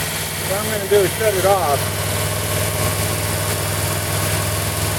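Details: 1940 Buick straight eight on its first start in 30 years after a valve job, valve cover off with oil spraying from the rocker oil ports: fast, even idle that never settles, held high by the rusted-stuck idle adjustment cam.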